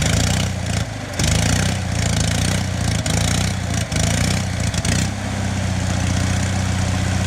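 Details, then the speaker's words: Onan 4 kW generator runs unevenly with several brief dropouts, sagging then catching, close to dying. It runs fine cold but quits after four to five minutes warm; owner suspects something, possibly a sensor, is killing spark; cause unconfirmed. "here's the interesting thing is it runs fine cold as soon as it was it was running for about four or five minutes there as soon as it gets warm it's like nope had enough"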